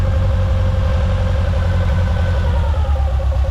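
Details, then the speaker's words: Suzuki Samurai 1.3/1.6 just converted from carburetor to GotPropane propane kit, first run; idle initially set high, adjusted with a screwdriver. Steady low idle rumble sagging slightly as the high idle is screwed down; high idle speed. "down idle up it's quite quite literally that easy to tune so pretty neat i'm gonna leave it right about there that sounds fine to me"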